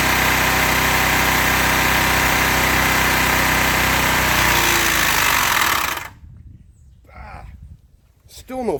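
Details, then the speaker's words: Briggs test engine, smoking heavily, restarted after its blade was worked free by hand from an earlier lock-up. Runs hard and rough at a steady beat for about six seconds, then stops dead and stays completely locked. Engine seizure, with cylinder head damage found. "oh yeah she's locks all it again"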